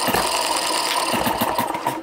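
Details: Microcosm Eachine M90 hit-and-miss model engine with new softer springs: light even mechanical ticking and clatter coasting between firings at about 45 to 49 hits per minute; smooth and healthy.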